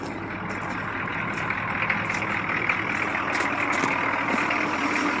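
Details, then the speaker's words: 1982 Chevy Blazer with the 6.2 Detroit diesel on a cold start at about 20°F: steady, even idle with a soft, quiet exhaust note through dock-type mufflers and no knocks or misses; running healthy. "nothing special about the exhaust it's not loud it just got dock type Mufflers on"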